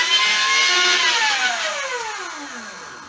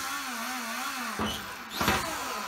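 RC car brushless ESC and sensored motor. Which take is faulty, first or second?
first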